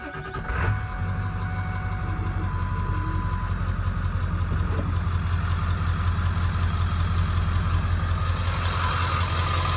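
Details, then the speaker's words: 2000 Ford F-350 Super Duty dually 4x4, 7.3 Powerstroke diesel, 71,316 miles, fully serviced: catches quickly after a brief crank and settles into a steady, even low clatter at idle; healthy start. "let's go ahead fire this 73 up so we can hear it start"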